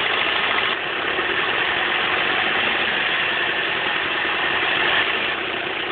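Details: 2004 Chevrolet Cavalier 2.2 Ecotec at idle: fast, uneven, high thin metallic clatter; suspected timing chain rattle, unconfirmed.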